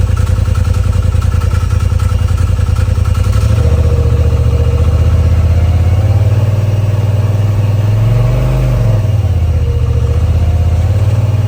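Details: Polaris RZR XP Turbo, first start after installing a TPR valve cover, charge cooler, timing tensioner and full-flow kit: catches right away and settles into an even, steady idle with no knocks or rattles and no codes; fan may kick on.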